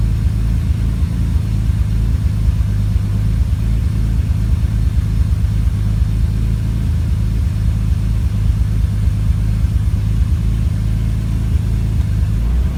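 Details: Low, lumpy idle rumble with an uneven beat and occasional stumbles in the rhythm; idle misfire.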